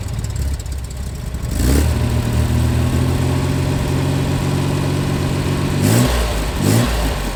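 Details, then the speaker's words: Corvair flat-six idle after the valves were checked for a quarter turn; it had been stumbling and missing. It now blips up and back down cleanly without stumbling, revving smoothly. "All right, it's revving up a lot smoother. I'm a lot more happy with that."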